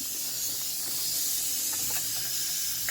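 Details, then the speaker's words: Diesel truck intake pressurized with shop air: a steady airy hiss is audible immediately at 20 lb, from one leaking intake boot (sound changes when touched), boot needs replacing; boost leak. "you can hear the leak immediately hear it that's 20 lb and then at 30 something it should blow off"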